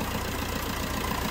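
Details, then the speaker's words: Fiat Punto 3 diesel at idle after its injector seals were replaced. Steady, even, clean clatter with no more puffing or hissing of compression leaking back past the injectors; a normal, stable idle. "donc là effectivement il n'y a pas photo entre le bruit avant l'intervention puis maintenant donc là on a un bris lui stable propre et plus de bruit de brut pression retour"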